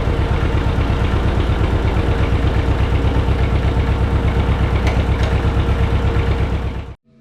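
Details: John Deere 630 tractor, barn find, just started; slow even two-cylinder putt about three beats a second with a sharp tick on each pulse, from a small exhaust manifold leak blowing out; dirty carburetor suspected.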